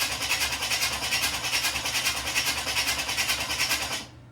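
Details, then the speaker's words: 1986 Chevy Camaro Z28 after sitting: starter spins engine at even rhythm about four seconds, never fires; crank no start, owner concludes it needs a battery. "All right. Doesn't want to start after sitting. We'll give it some juice. Ah, we need a battery."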